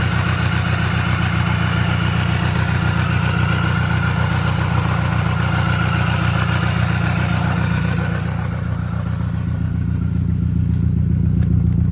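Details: 2002 Mini Cooper S (R53) idling with a lumpy, uneven beat, about four stumbles a second, from a cylinder 2 misfire.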